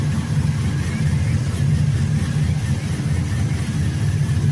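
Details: 2002 GMC Sierra 5.3L LS V8 after knock sensor replacement (codes P0327/P0332) and intake manifold reinstall: a low, steady burble at idle with an even beat and no knocking or ticking. Normal idle.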